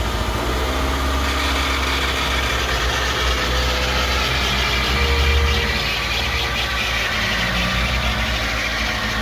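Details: 2007 Nissan Altima engine catches and settles into a steady idle with a busy, uneven chatter over the hum; cause not clear. Engine noise at idle.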